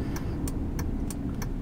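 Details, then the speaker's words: Dodge truck after rear differential rebuild with new bearings, reused crush sleeve, backlash 0.007 in and good gear pattern: steady low driving rumble with no whine rising with speed; rear differential quiet and normal. "so uh you know we'll just have to wait and see like I said it it sounds good and quiet uh everything turned out good"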